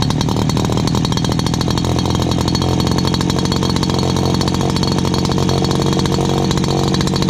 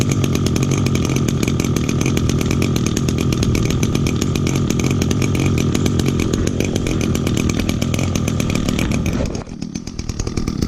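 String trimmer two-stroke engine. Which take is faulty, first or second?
second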